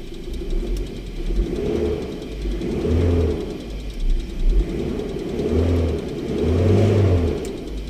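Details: 2011 Isuzu Alterra diesel that was hard starting, after repairing a broken camshaft position sensor wire, scan shows no codes: blipped up and back down roughly every two seconds, a clean, even rise and fall with no misses or knocks. Normal revving.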